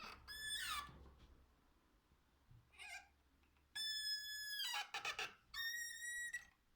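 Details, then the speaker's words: Three loud, high, shrill squeals as an old door swings, from a dry, damaged hinge pivot, before treating it with WD-40. "So guys, just a quick video for you today, just showing you how to stop your door hinges from making a horrible squealing noise like this."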